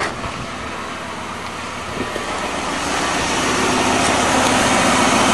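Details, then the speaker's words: 1997 Lincoln Continental engine after repairing a burnt spark plug wire that caused a single-cylinder misfire: even, smooth running, no more puffy or thumpy sound, no misfire; normal idle. "oh that sounds better already no more little puffy sound"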